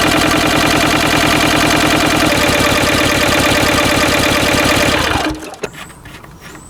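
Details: Westwood lawn tractor's Ruggerini twin-cylinder air-cooled vertical-shaft diesel, previously hydrolocked, after repair with new starter motor; loud, even clatter with steady firing pulses for about five seconds, then clean shutdown, running normally.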